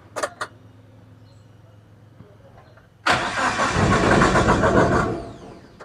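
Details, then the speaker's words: Suzuki APV Mega Carry petrol, won't start, battery and starter OK: starter churns steadily about two seconds, engine never catches. "ini nggak Nggak bisa teman-temannya nggak bisa start ini bermasalahnya"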